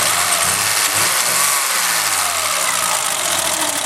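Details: Engine after the timing belt skipped one tooth: rough, lumpy stumbling run with hiss, one cylinder dead; the misfiring made the new distributor cap arc near cylinder two, stopping that plug sparking. An earlier two-tooth skip bent valves.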